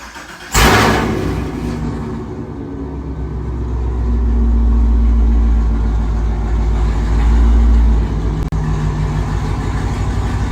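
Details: Camaro V8 (LT engine) after replacing spark plug wires burnt by headers with aftermarket wires: cranks, catches and settles into a steady even idle; the earlier "chicken" misfire sound is gone.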